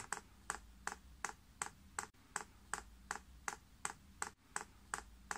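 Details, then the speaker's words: Chinese diesel heater with 6-fan-blade icon controller in prime mode; steady crisp ticks about 2.5 per second in a quiet room, fuel level rising in the line as the dosing pump primes normally. "you then press the up Arrow and you can hear that pump's clicking and Easy in fact now priming you see that level is going up there far to go"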